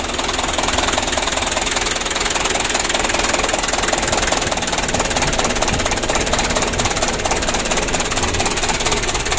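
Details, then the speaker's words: 2007 Mitsubishi Canter diesel, first start at night after full engine rebuild (it had been smoking and burning oil): loud, uneven, lumpy diesel clatter and shaky idle because idle speed is set too low; idle to be raised and adjusted. "tadi malam seperti ini ya goyangnya jadi kita naikkan sedikit besok kita setel besok kita setel dan kita lihat gimana hasilnya dan suaranya"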